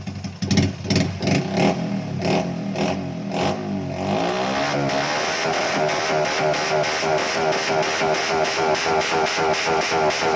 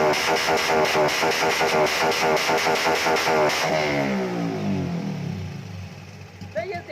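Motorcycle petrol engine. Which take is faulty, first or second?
second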